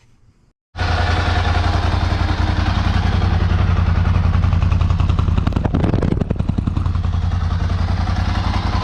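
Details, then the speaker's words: 2008 Ducati Hypermotard 1100S V-twin at first start after replacing fuel pump and filters (fuel return hose left off), key cycled to prime; starts and settles into a steady, even lumpy idle with no misses, warming up before test ride. "so it's running i just turned the key off and on a couple of times to go ahead and prime the system it's running i'm gonna let it warm up a little bit"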